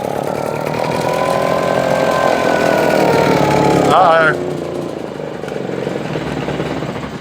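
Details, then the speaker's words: Husqvarna 150 BT backpack blower, air filter good, primed with 50:1 mix into the intake: catches and revs on the primed fuel then dies within seconds, proving spark and compression fine; a fuel-supply issue, later traced to wrongly routed lines and wrong tank grommet. "Well, we just learned. Ain't gotta worry about fire. We ain't gotta worry about compression. It's a fuel issue. Plain and simple."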